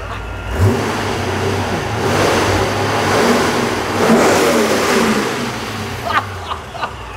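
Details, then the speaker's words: Supercharged C5 Corvette revved: clean rise and fall with smooth even pull, no rattle or clatter; normal revving. "that sounds good now that's what a motor is supposed to sound like"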